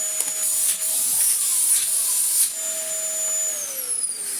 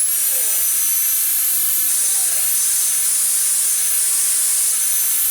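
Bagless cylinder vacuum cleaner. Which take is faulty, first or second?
first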